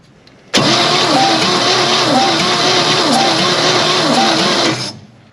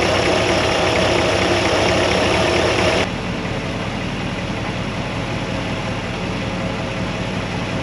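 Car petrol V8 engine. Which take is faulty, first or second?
first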